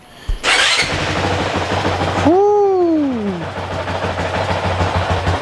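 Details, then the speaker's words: 2023 Honda CRF450X, completely cold, thermostat delete kit fitted: catches immediately, one sharp rev climbs and drops back, then steady low idle with no rattles; normal cold start. "Obviously, completely cold."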